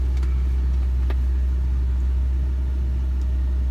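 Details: Ford Ranger idling high at about 2,000 rpm with foot off the pedal, only with HVAC on, throttle position near 16.5%; steady raised drone that won't settle; owner suspects throttle position sensor.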